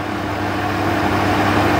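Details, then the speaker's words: Trotec TTK 75 E dehumidifier at first power-up, bought cheap when the seller's test seemed to run only the fan: steady mains-type hum with constant tone over fan rush, no clicking or cycling; compressor actually running normally. "Okay, this is a bit weird because I think the compressor actually powered"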